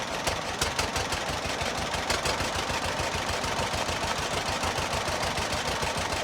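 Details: John Deere model B two-cylinder tractor, cold start, first start since summer, nearly dead battery yet fired right up: slow loping popping beat, steady and even, with usual loose mechanical clatter; healthy idle.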